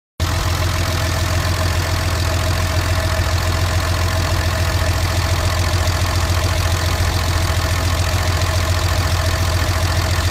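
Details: 2005 Ram 2500 5.9 Cummins diesel, misfired at 35 mph then ran rough and skipped while cranking: loud idle with heavy, uneven chuffing pulse; excessive blowby, rebuild found very low compression and cracked rings on 3 cylinders; owner suspects reman'd injectors.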